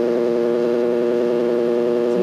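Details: Pulser 800/44-2158-0 clock radio with the alarm set: a continuous, steady buzzer tone with no breaks, and the radio also comes on; the alarm buzzer works normally.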